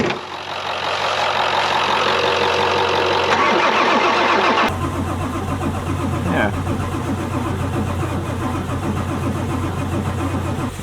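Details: 1996 Ford F-250 7.3 Powerstroke with veggie oil conversion, sat 10 years: several seconds steady cranking and even low drone, never catches; crank no start, no fuel delivery.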